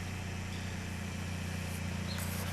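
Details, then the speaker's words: Vehicle idling in gear, no check engine light; new spark plugs smoothed in-gear idle, owner wonders about throttle body or a failing sensor such as IAC: low, uneven idle pulsing and dipping every fraction of a second without recovering. Idle stumble, cause unconfirmed. "Anyway, so the spark plugs actually did give it a smoother idle when it's in gear. Oh yeah, see, now she's struggling pretty decently today."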